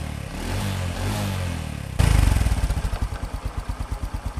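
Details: Honda Future Neo small single-cylinder engine after repair, restarted. It runs smoothly, then settles to an even putt about five times a second with no knocking. Normal running.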